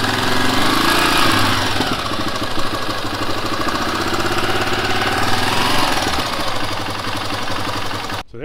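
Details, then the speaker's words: Honda XL500R with XL500 engine started after sitting parked for a year, with fresh fuel: big single thumping at a steady idle with no misses or knocks; normal idle. "this Honda will not die you can park it for a year come back if you can find it under all your crap and fire it right back up"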